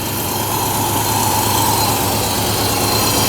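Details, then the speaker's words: 1972 Mercedes 300SEL 4.5 D-Jet V8 after timing chain, valve adjustment, new plugs and valve cover gaskets: loud idle, uneven and lumpy, stumbling and dropping out with smoke; misfire remains, cause not yet found. "can tell it's definitely running better than it was when I first got the car but you can see it's still stumbling see that it's missing"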